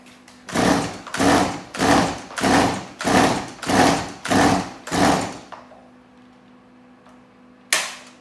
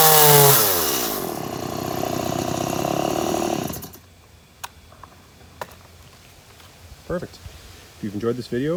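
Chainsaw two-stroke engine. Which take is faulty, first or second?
first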